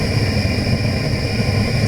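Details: Gas burners firing a stoneware kiln with a short stack and electrically powered burners (likely positive atmosphere), early morning start: steady, even roar with a low rumble and no flutter or popping; normal burner roar.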